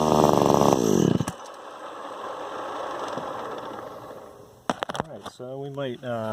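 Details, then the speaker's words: Echo SRM 2100 two-stroke trimmer just after replacing carburetor, fuel lines, purge bulb, filters and spark plug; fires, then revs surge and sag on each throttle blip; owner suspects low-jet carburetor tune needed for bogging. "fuck around with the low jet because it sounds like it's bogging down when I hit the throttle, so it might need a little carburetor tune."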